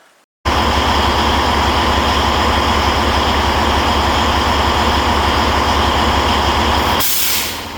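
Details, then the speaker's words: Heavy-duty truck diesel idling steadily, then a sharp hissing blast of air near the end. The pop-off valve/air dryer is purging every 10–15 seconds ("snorting"); the dryer is about to be replaced. "Because It keeps popping off every 10 seconds. Keeps snorting."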